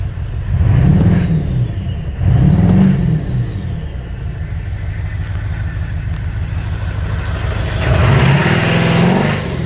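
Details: 2001 Ford 7.3L diesel at 330k miles revving in short bursts with an uneven stumbling beat underneath; misfire, cause not identified.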